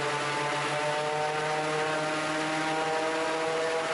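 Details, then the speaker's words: Raptor prototype aircraft engine after the redrive belt fix and tune-up, ground run in wind with a bit of prop pitch added: steady, even propeller drone and smooth engine note, no misses or surges. Normal engine run-up. "So yeah, flat pitch. I'm going to put a bit of pitch in here. That should give it about 3,600 RPM."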